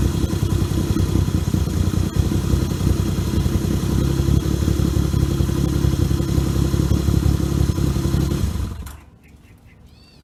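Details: 1978 Yamaha XS750 Special triple, first run after a three-week revival, kick-started on choke: strong, steady exhaust beat with crisp throttle blips, then shuts off cleanly; healthy and even.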